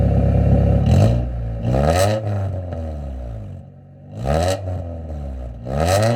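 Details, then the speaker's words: Before fix, 1996 Honda Civic CX (D-series engine), worn cheap eBay exhaust: loud, boomy low drone swelling with each rev and dropping between blips, among the worst-sounding Civics heard; being replaced with another eBay exhaust using donut gasket and spring bolts. "It probably won't come through on camera as bad as it really is, but hopefully you get what I'm getting at and how this this honestly is like the worst sounding one of the worst sounding Civics I've ever heard."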